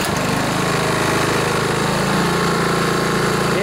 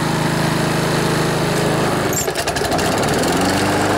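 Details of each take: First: Honda Harmony HRB215 lawnmower after carburetor cleaning and governor spring crimped to rev higher, previously started then died: engine runs steady and even with no surging or dying; sounds healthy. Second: Older Honda Harmony HRB215 lawnmower, warmed up after carburetor cleaning, choke off, air filter removed: engine revs from idle but levels off, never reaching full governed rpm; fix is tightening the governor spring.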